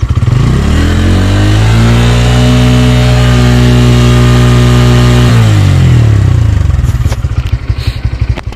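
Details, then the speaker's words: 2024 Bajaj Pulsar N150 engine, stationary test revved to 8000 rpm: clean rise to a high howl, holds, then falls back evenly with no rattles. A glass placed on it stays put; healthy high-rpm revving. "सो देख सकते हैं हमने 8000 RPM तक किया फिर भी हमारा glass यहां पर स्टिल टिका हुआ है तो देख सकते हैं कितनी ज्यादा वाइब्रेशंस नहीं है"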